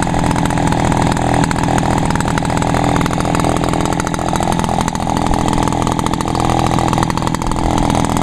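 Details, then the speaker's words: Echo backpack leaf blower (two-stroke) after the owner added fuel because it had stalled, apparently out of gas; an even, steady buzz with no stumbling, surging or misses. Runs normally, fixed by refuelling. "all right cool yeah just runs Perfect"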